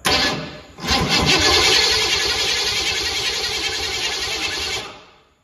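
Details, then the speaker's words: 1972 Ford Pinto with V8 302, C4 transmission, base timing being set to 10 degrees with vacuum advance unhooked: starter churns evenly about four seconds, never fires; cranks but no start, distributor suspected. "not getting anything. Awesome. Let me try this. That janky distributor may be our problem, you know?"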